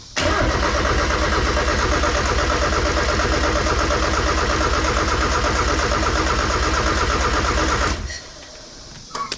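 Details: Mazda Miata build with Flying Miata throttle body spacer: steady fast cranking for about eight seconds with no firing, then silence; cranks but won't start, owner suspects firing order.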